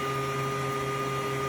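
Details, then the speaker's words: Kings 12Ah power pack running two 1100 GPH bilge pumps: steady pump hum with constant whine at about 15 A and just under 11 V, near the pack's peak rating, before the pack cuts out on max current. "So unit cut out, drawing its max amps, which I'd expect this thing to cut out. I'm drawing at its peak and it's not going to run like that."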